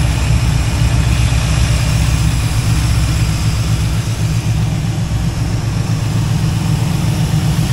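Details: Kevin's Chevy El Camino V8, idling after the timing was checked: steady, even low rumble with no lope or stumble, all eight cylinders firing. Sounds much better; normal idle.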